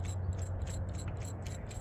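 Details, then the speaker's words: Removed idler pulley from a 2015 Jeep Wrangler JK 3.6, spun by hand, gives a rough, gritty rhythmic ticking from a worn bearing; it caused the loud belt-area whine, fixed by replacing the idler pulley. "there is the one I replaced it was really loud you can even hear it"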